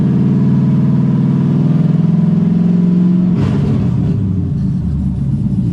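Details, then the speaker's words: LS Camaro automatic that won't shift, in drive in garage after replugging transmission: revs climb in one long drone with no gearchange drop, then roughen; stays in low gear, owner suspects a solenoid. "so i honestly can't tell if it shifted at all i think it shifted into second when i it down like i was before on the road so i'm not sure anything's really changed as far as power"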